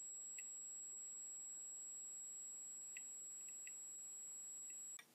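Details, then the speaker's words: Simple DIY Geiger counter on 9 V bench supply, americium smoke-detector source next to tube: sparse random sharp clicks from piezo over faint steady high transformer whine; normal counting. "so as you can hear this thing works perfectly and I hope you could hear those clicks on the pzo wether but this Sky counter works very well"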